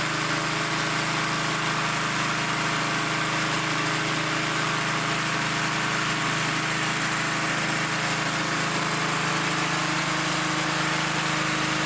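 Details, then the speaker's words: Restored vintage Blue Grass mower, single-cylinder engine just after rebuild, paint burning off muffler: steady even low, slightly slow idle with no knocking or misses; normal idle, idle speed to be raised. "I'm might have to set the idle up a little bit, but it runs. We're burning that that paint off that muffin."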